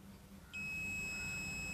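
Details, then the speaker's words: Transformer primary winding checked with multimeter continuity: steady high beep, reading only 25 ohms, showing the winding is continuous. Winding continuity confirmed. "Beep sound வருது, ohms பார்த்தீங்கன்னா வெறும் 25 ohms தான் காமிக்குது."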